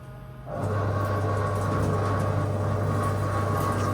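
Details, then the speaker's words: Haas VF0 CNC chip auger motor after repair, running in reverse: steady low motor hum with gear whir, no knocks or grinding, sounds like other machines; normal running. "and now that is much more like what I'd expect that's how many other machine sound"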